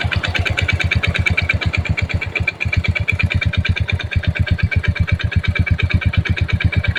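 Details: Yamaha Jupiter Z engine with a fast, heavy knock like a connecting rod, about three per second, at both low and raised idle. Cause found: uneven clutch shoes slapping the clutch drum.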